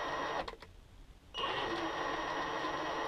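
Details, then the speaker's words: SCX10 crawler (about 9.5 lb) with a sensorless Castle Creations Sidewinder 3 ESC and brushless motor crawling very slowly under load: harsh, buzzy, chirpy beeping whine as the ESC fires the phases. "if you listen hear the beep beep beeping that's the ESC firing the phases and it's really slow"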